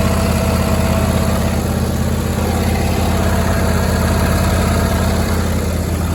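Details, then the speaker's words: John Deere D160 mower unrun two years, after new plugs, air and fuel filters, battery and cleaned carburetor: steady even low thrum, smooth, no knocks or misses; healthy idle. "clean the carburetor now it starts and runs great"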